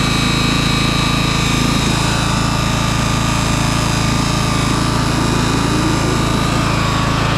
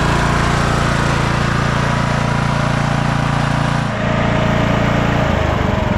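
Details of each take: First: 2004 MTD Yard Machines Gold lawn tractor, unstarted for months and run on a jump pack. Deck engaged without blades gives a steady, loud engine note and a thin, unloaded whir with no cutting bite. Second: 2004 MTD Yard Machines Gold lawn tractor engine after a carburetor cleaning (needle and seat good) and an oil change: a steady small-engine drone with a clean, even beat, its pitch shifting smoothly with throttle near the end. It is running well.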